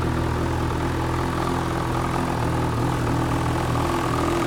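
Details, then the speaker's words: 2012 Ski-Doo MXZ 800R, Rotax E-TEC 800 twin, 3,769 miles, engine replaced under recall at 3,000 with about 700 on the new engine, cover off: low, steady, even idle with no knocks. Runs cleanly. "So, runs well, looks good. We just pull this cover off and show you it running."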